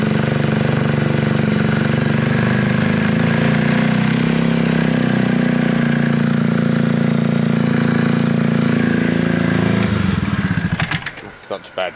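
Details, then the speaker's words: Gilera DNA 125 scooter warming up: small single burbles at steady idle about ten seconds then shuts off, runs clean and even; normal idle. "cool we know it's a runner and rider that's great news"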